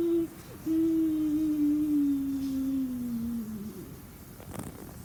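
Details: Ceiling fan winding down: loud steady hum dropping in pitch over a faint rattle; ceiling fan humming noise, cause unclear.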